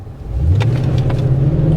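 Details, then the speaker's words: Auction car with the camera by the gauge cluster, running perfectly this time: a deep, smooth rumble climbs evenly in pitch as the throttle opens, with no clunks or knocks from the driveline. The rear diff feels good, and acceleration is normal. "it's running perfect this time I just want to make sure there's no clunking when I hit the accelerator and nothing crazy no funny sounds"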